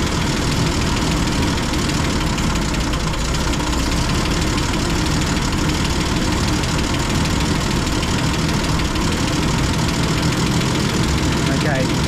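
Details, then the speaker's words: M8 Greyhound engine during ignition and distributor troubleshooting, after leaning off the fuel mixture: steady, fairly quick idle with busy mechanical clatter; revs sit a touch high, so idle speed wants turning down. "hear the engine revs are picked up sounds like the engine is revving a little bit too fast so I'll drop the ID speed down a bit"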